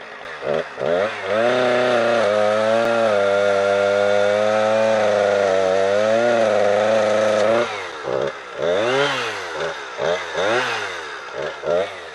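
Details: Husqvarna 455 Rancher two-stroke chainsaw on Husqvarna premix after owner's 50:1 mix. Note sags low and wavers through the cut, blipping freely between cuts; new plug and air filter removal didn't help, fuel-starved.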